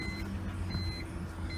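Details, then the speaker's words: 1999 BMW 328i petrol six with Borla exhaust after fuel pump install, idling at 800–900 rpm: steady low hum with no taps or knocking; normal idle. "the engine sounds good there's no there's no taps in the engine i don't hear any knocking of any kind"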